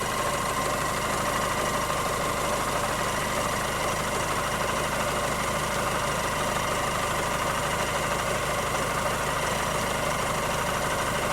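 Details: 2007 Mazda 3 MZR diesel, 190k on clock, hard rural life, needs idle reset so idles rough: steady high whine over the diesel idle on cold start, lasting a few minutes then disappearing; source not identified.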